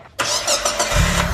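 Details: Mitsubishi Lancer after starter replacement, intake possibly off: short crank, engine catches within a second and settles into an even, steady idle; starts and runs right.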